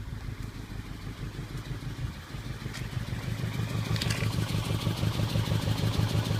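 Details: Volvo S40 with code P0303 (cylinder 3 misfire): rough, lumpy idle with a steady low thump and stumble; two dropped valves on cylinder 4, no compression there; dropped valves causing misfire.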